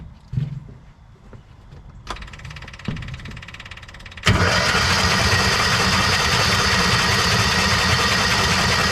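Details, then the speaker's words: Kawasaki Mule 2510 cranked with spark plugs out, plugs soaked in old gas: a few weak turns, then a loud, wet spraying hiss as antifreeze blows from the cylinder; a massively blown head gasket. "Wow. That's uh that's that's antifreeze. So, we have a massively blown head gasket on this thing."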